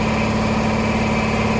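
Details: 400V V-twin air compressor running after repair, cylinder heads, air filters and pipes refitted: steady, even pumping beat with constant hum, no knocks or hiss; now building pressure to 50 psi where it previously stalled, running normally.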